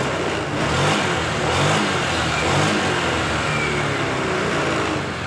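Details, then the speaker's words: Honda scooter (Vario/Beat/Scoopy/Genio type) after setting the air screw to 3.5 turns out: engine blipped a few times, then eases to a smooth idle and idling stop now shuts it off, where it failed before; air screw setting governs idling stop. "Nah, kita lihat mati atau tidak. Mati Mas Bro. Mati ya Mas Bro ya. Jadi jelas ya, air screw ini sangat berpengaruh pada idling stop Mas Bro ya."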